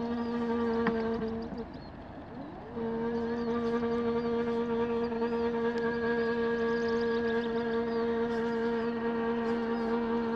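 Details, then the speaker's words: Astro-Physics Mach2 equatorial mount: steady mid-pitched motor hum with strong overtone and a brief dip; vibration occurs only slewing west to east, cause unknown. "okay yeah only when the amount seems to go from west to east all right and again at 1800 slow speed starting from park position one going to three as soon as the deck access moves it makes noise"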